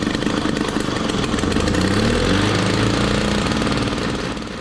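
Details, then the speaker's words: 1968 Ski-Doo Super Alpine 370 opposed Rotax two-stroke, cold start at −23 °C after two years unused: buzzes unevenly at a fast, rich idle and never settles, running only with the choke held on; belt smells burnt, cause not yet confirmed. "okay so not so sure how well uh it's going i know that sort of ran for about a minute had to keep the choke on uh pretty consistently"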